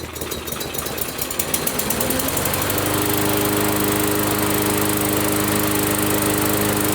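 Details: Briggs & Stratton push mower with a plastic carburetor, loose carburetor hardware and missing screws from earlier repair attempts, run on fuel primed into the carb: rough sputter, then a steady drone. The carburetor isn't delivering fuel.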